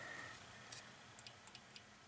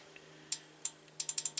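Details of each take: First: Underhood X50A engine wiring harness junction block from 2017 GM Denali pickup, removed for wipers not working, bench-powered with relay coil grounded at connector X2 pin F2: very faint light relay ticks about twice a second; unknown which relay. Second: Relay in a 2017 GMC Denali X50A underhood fuse block, bench-tested with 14 V on the coil: crisp, solid clicks, several quick actuations, contacts showing about 2 ohms continuity; relay switching properly.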